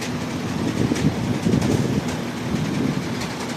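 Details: Towed-in Shacman truck with WP13 diesel idling heavily with irregular low knock through the clatter, roughly four beats a second; deep internal knock, cause not determined.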